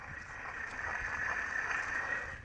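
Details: 2008 Chevrolet Silverado half-ton 2WD, removed old front hub/bearing assembly spun by hand: steady, gritty whirr with a dry scraping edge; bearing worn out and grinding, replaced with new hub.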